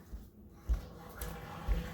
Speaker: this is what happens when you don't ventilate your plumbing system your your drain it uh there you go you can hear it it's probably sucking uh well I can hear it sucking water out of the PE trap